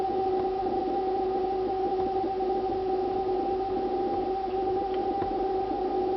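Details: Refrigerator making a steady, high-pitched, siren-like whine over an even hum for about two minutes; owner considers it not normal for a fridge, source unconfirmed; the ventilation fan starts up afterward.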